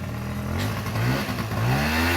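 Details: Honda SA50 AF16 two-stroke scooter after rebuild, first ride: crisp buzzing note climbing and dropping cleanly with throttle, no clatter or misfire; revs freely, sounds healthy.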